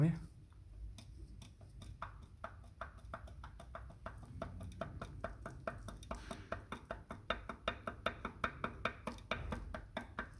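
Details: Lexus GS 350 with a knock under the hood: a sharp, regular knock, about three a second, over the engine rumble. Once the engine was opened, the right-side piston group was found to be knocking.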